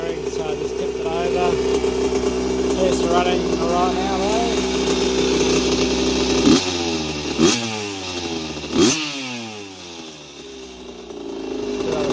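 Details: 1981 Yamaha YZ80H two-stroke, first run after engine overhaul with new seals and top end, after the dry gearbox cog squeal was cured by tipping the bike: crisp idle picks up cleanly on quick throttle blips and drops back smoothly, no squeal.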